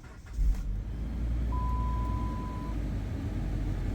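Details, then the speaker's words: 2009 Chrysler Sebring with a cold no-start, after replacing a part with an O-ring: the engine catches at once and settles into a smooth, even idle with a steady low hum and no misses; codes stored, then cleared, no DTCs. "fir is up real good and every code in there now is stored so let's shut this off turn it back on we're going to clear the fault codes"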